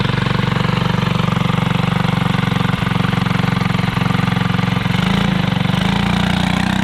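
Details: Alcohol-fuelled 212 single-cylinder go-kart engine, started after sitting about 3 months undrained: quick firm putter near four beats a second, steady with slight pickup near the end; runs fine.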